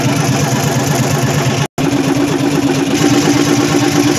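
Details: Hino EM100 diesel engine started after three to four years of storage; steady idle with an even low thrum, no knocks or misses, running cleanly.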